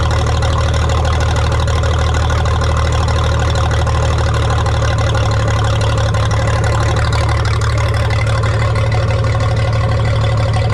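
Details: 1962 Minneapolis Moline G704 on propane, first start after sitting for years: low, lumpy idle with an uneven beat that stumbles now and then; owner suspects one cylinder missing, possibly spark plugs; rough-running misfire.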